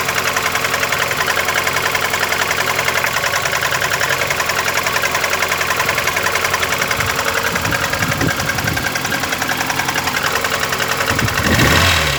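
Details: VAZ 21099 engine idling cold: a sharp, fairly even ticking knock three to four times a second. It began faint at idle, grew louder after 50 km and then stayed the same, with 350 km or possibly more driven; source not yet known.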